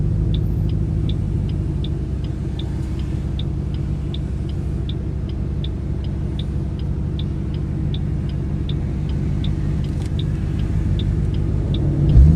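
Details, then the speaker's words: 2008 Ford Mustang GT (S197) on a road drive after MSD Blaster coil-on-plug set replaced five bad coils the dealer reported misfiring; steady deep engine drone, smoother and lighter, no stumbles or misfire so far, where before it misfired after a short ride. "It already sounds better. Sounds smoother already, lighter."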